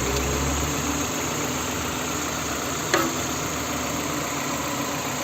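Steady, even petrol idle with a soft continuous hum and no knocks or misses; the engine is running smoothly and sounds healthy.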